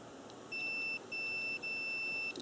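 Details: Bench test of a 1997 Nissan Maxima cooling fan relay under direct power, with the meter on continuity across terminals 6 and 7. A steady high beep held about half a second and repeated twice more shows the contacts closing properly.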